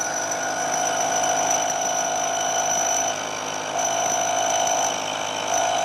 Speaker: this cut was proceeding pretty well but as we get out towards the end of the part this cantilevered out of the jaws you can hear more and more vibration